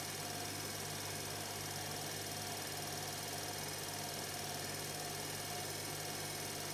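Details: Electra ELEC1647A3 washing machine motor dying, ~10 wash cycles after new carbon brushes: steady rough hum with raspy, gritty edge, no speed changes; damaged worn commutator, needs new motor.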